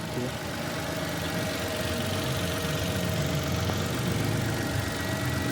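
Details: Mitsubishi Mirage G4 petrol engine idling steadily with even low hum, no knocks or misses, after fixing a crank-no-start caused by cut wiring; normal idle.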